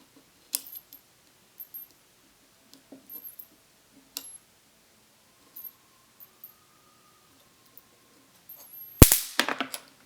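Scattered handling clicks, then a sudden loud crackling snap of arcing near the end; the high-voltage circuit is firing properly.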